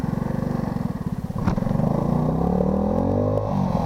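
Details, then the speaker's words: ATC 90 single-cylinder engine chugs unevenly, pops once, then revs sluggishly; stuck ignition timing advance causes backfiring, hesitation and low power. "As you can hear, it does that little backfiring blah blah blah. And it's hesitant."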